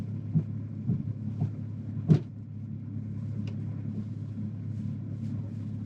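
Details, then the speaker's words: Audi Q7 3.0 TDI at full-lock turns: low diesel rumble with irregular heavy thumps as the driveline binds and releases; transfer case failing, fluid burnt with metal shavings. "you can hear it knocking in the driveline. The whole car shakes. There it goes. So it's binding up, releasing, binding up, and releasing."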